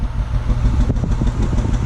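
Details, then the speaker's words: Six-cylinder car at idle with flashing check engine light: uneven, lumpy exhaust pulse with skipped beats, whole car and steering shake, low power, raw unburned-fuel smell; single-cylinder misfire. "you're gonna feel a shake in the whole car and the steering okay also it's gonna feel like the car doesn't have a lot of power like it always did"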